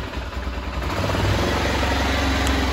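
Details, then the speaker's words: F650 single-cylinder, out of gear, with a known faulty voltage regulator mounted under the seat: runs unevenly, then smoother with the high-beam headlight load on; the regulator is overcharging, putting too high a voltage into the system. "so that's that's the problem that's the voltage regulator it's putting too higher voltage into the system and it just can't cope with it"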